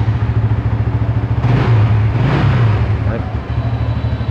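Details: Used motorcycle, all stock, about 12,000 km: steady idle with two quick throttle blips, revs climb and drop cleanly; engine smooth and healthy.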